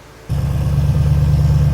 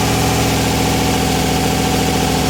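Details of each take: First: RX-7 (990 HP) fully reassembled after cracked-piston rebuild, started for loading on a trailer: catches and settles into a steady, deep, even idle, smooth low burble; normal idle, good oil pressure, not steaming heavily from the back. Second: RX-7 (990 HP) just after first start following cracked-piston rebuild: steady, even engine note staying fast and never settling; high idle from misadjusted throttle blade, fix is adjusting the idle split.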